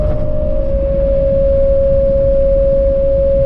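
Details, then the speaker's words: Camper van with newly fitted Thule roof rack, at cruising speed: loud steady mid-pitched howl on one note over road rumble, wind whistling through the rack; described as horrid high-frequency vibration. "That is absolutely horrid. Absolutely horrible. It's a high pressure, or high, what's it called? High frequency vibration or something."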